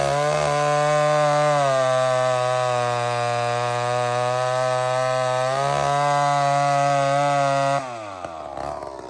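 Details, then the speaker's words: Old chainsaw with round chain, wide open in wood: flat-out buzz with lumpy four-stroke burble that cleans up as it loads in the cut; correct rich carburettor setting. "So friends, I can hear it's good. I can hear it. It actually four-stroked until it bit wood. That's a good sign."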